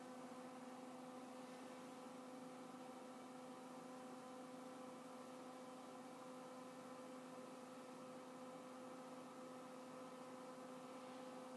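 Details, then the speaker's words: Z-Tech Lt. Kernal Commodore 64 hard drive powered back on: steady cooling-fan whir with faint hum, no platter spin-up or head seek; drive not coming up, cause unknown. "listen to the cooling fan and not much else at some point i hope this is working"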